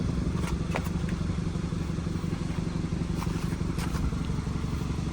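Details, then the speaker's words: 2014 Hyundai Accent revived after a seized engine: rough low rumble with an uneven tick about three times a second on top, an exhaust leak found at the exhaust; check engine light on. "okay it's right here yep we have we definitely have exhaust leaks which is not bad for it it's okay there's a z leak"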